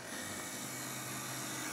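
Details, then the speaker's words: 1960 Telectro MR511B reel tape recorder after scraping the metal under the screw shiny and reconnecting the speaker to chassis ground. Only faint steady hiss and low hum, with no howl; the amplifier oscillation is gone. "the metal made it shiny there so I can get better electrical contact and that should be step one to resolving the problem"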